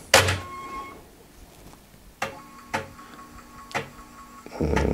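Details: Restored, recapped Amiga 500 after disk drive servicing, reading a Workbench disk: sharp head clicks about a second apart over a faint motor hum; floppy drive reading normally.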